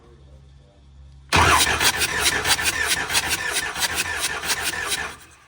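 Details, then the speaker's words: Ford 7.3 Powerstroke misfiring, running rough and white smoking, cylinder 3 flagged on contribution test; cranking during compression test on cylinder 3 with lopsided beat around four pulses a second; dead cylinder, no compression. "Hey, you notice how the motor sounds different with this one having, with us doing this one? Because it's not making any compression. That one was working."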